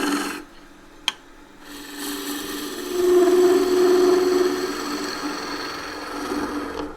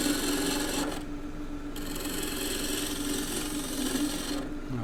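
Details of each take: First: Wood lathe, green timber: raspy cut swells into a steady mid-pitched vibration hum for a second or two; tool chatter from pushing the gouge too hard. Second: Wood lathe, green timber cut with a Continental roughing gouge, bevel riding then handle raised until shaving starts: steady rasping hiss over spinning hum, note shifting as the shaving lifts; normal gouge cut.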